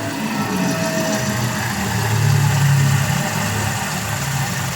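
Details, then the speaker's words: Toyota Avanza at rough idle, recently replaced spark plugs yet misfiring: uneven hum with faint rasping scrape inside the engine; cause suspected, not confirmed. "Pakinggan yung mga boss parang meron siya kumakaskas dito sa loob ng makina."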